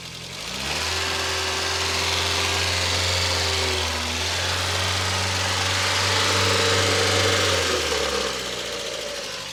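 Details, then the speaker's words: 1981 European-delivery VW Golf GTI Mk1, totally cold after 3–4 days unstarted, mic at front of engine: even idle with light uniform valve patter and belt whir, no loud tick or knock; valve train sounds normal. "All right, so we'll put the microphone next to the front of the engine. We can hear the belts, ancillary. Listen to the valve train."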